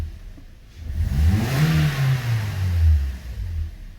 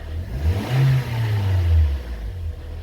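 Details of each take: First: 2013 Toyota Corolla 1.8 16v flex with CNG after alternator replacement: engine revs smoothly and settles back, no squeal, chirp or rattle from the belt drive. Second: 2013 Toyota Corolla 1.8 16V flex-fuel with CNG, automatic, running with A/C on: noise on acceleration, deep rough droning vibration swelling and fading with revs, check-engine light on; cause seized alternator overrunning pulley.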